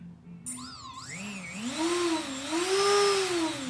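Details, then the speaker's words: Brushless motor on a 180 build, tested with no props through a YKS servo tester: a clean whine climbs and wavers in pitch as the knob raises and lowers speed, no rattle; it works and spins counterclockwise. "So definitely works, and it is spinning counterclockwise, even though it's kind of hard to pick that up."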